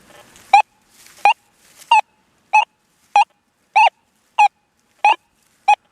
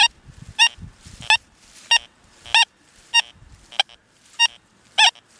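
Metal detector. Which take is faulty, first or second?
second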